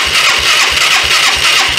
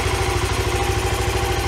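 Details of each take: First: 1993 Yamaha Riva 125 scooter with a cheap GY6-type replacement carburetor and the vacuum-operated fuel valve apparently not feeding fuel. It pops along at about three beats a second on residual gas in the bowl, then fades and cuts out from fuel starvation. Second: 1993 Yamaha Riva 125 scooter with a cheap GY6-type replacement carburetor: a steady, even putter at idle with a regular beat and no misses or hunting; it idles cleanly.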